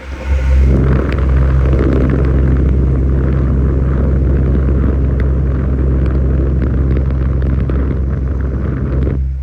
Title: Humming sound stand fan